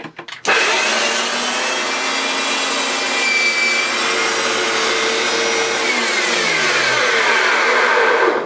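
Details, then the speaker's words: Hoover Turbopower Autoflex U2198 upright vacuum after refurbishment: both previously near-seized motors freed, new belt, brush roll and bulb fitted. Steady high whirr spins up quickly and holds an even pitch, no grinding or rumble, then winds down; normal running. "absolutely spot on there is that is working perfectly out with its brand new belt and brush roll and"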